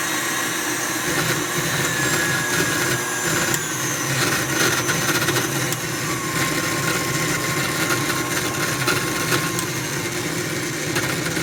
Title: KitchenAid artisan stand mixer grinding noise